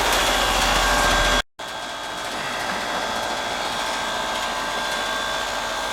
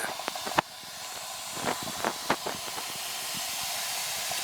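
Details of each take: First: Heat pump, previously out of refrigerant from a rotted liquid line drier, now replaced and relocated, running in heat mode on a cold day: steady fan rush and faint hum after a brief cutout; suction pressure almost 61, going in about 110, acceptable normal running. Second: Heat pump with no heat, condensing unit not running and refrigerant completely empty: steady high hiss of escaping gas with faint clicks, leaking at the rotted liquid-line filter drier near the king valve, drier to be replaced.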